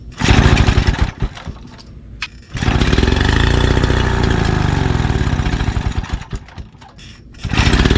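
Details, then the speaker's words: 1936 Johnson Seahorse Model 200 outboard, fuel mixture adjusted about a turn: catches and runs in uneven, surging bursts, then fades and dies. It didn't like the full setting. "She didn't like full, not one bit. You can run for longer than that. I just saw you do it."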